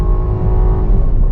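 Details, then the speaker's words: 2022 Jeep Grand Cherokee V6, 8-speed automatic, hard acceleration: deep steady rumble builds with no rattles or misses, short hesitation then pulls strongly (owner unsure why, not turbo lag); normal exhaust note. "But whoa, after it kicks in, it takes a little bit and then it takes off. It's not turbo lag, so I'm not sure what it is, but that did sound good, man."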